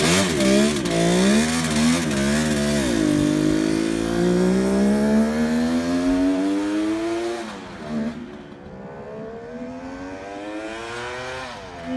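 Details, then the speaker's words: 1971 Kawasaki H1 500 two-stroke triple, rebuilt engine, cold start with choke: revs unevenly with lumpy note; one cylinder not firing, no spark, later traced to plug cap and wiring. Cylinder misfire. "well anyway start running on the center cylinder so we're going to try to figure out why here in a second"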